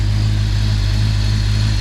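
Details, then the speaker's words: General Lee Dodge Charger with a new big-block V8 and a Holley Sniper, during cam break-in: deep, steady rumble at fast idle, firing evenly on all eight with no miss or stumble. Normal fast idle; idling better, still needs timing and tuning, coolant spilled on the engine. "She's idling a little better. We got to do some tuning and we'll start camming her be good."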